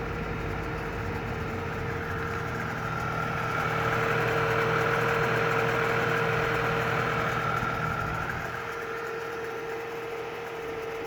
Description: Can you hear that ticking sound? Is this normal? Its only when engine is cold and ends when idle speed drops to 1000 rpm.